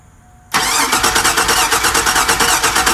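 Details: 2001 Chevy Suburban cranking during electrical testing with relay removed, fuel pump suspected; even starter churning about three beats a second, no firing or pickup; crank no start, cause unconfirmed.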